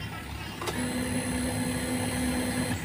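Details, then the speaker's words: Motorcycle fuel pump priming with homemade power-up voltage booster set to 14.5 volts: steady, even, stronger electric hum for about two seconds, louder than on stock 11.2-volt battery. "Jadi, bisa dilihat sendiri, Mas Bro, untuk suaranya tuh lebih ee apa ya? Lebih keras yang 14,5, Mas Bro, ya. daripada yang akis bawaan tadi 11,2."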